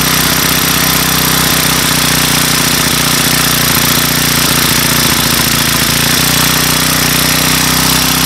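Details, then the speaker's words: Weathered Craftsman Speed Start 29cc four-stroke curved-shaft trimmer with convertible leaf blower attachment, cold start on cold day, makeshift filter cover: steady fast idle buzz, even, no knocks or surging; runs very smooth, normal idle. "very smooth so all right four cycle speed start by craftsman with the convertible attachment being a leaf blower uh that works a lot better than i actually thought it would"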